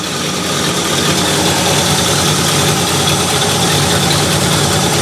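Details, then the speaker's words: 1968 Ford Galaxie 500 V8 with Holley carb, after adjusting idle mixture screws and timing by ear: steady, even idle rumble with no stumble, miss or hunting. Engine smoothed out, carb dialed in. "and with practice i mean you can do this by ear right here it is but i was like yeah that's right on and i can hear that i can hear the engine smooth out"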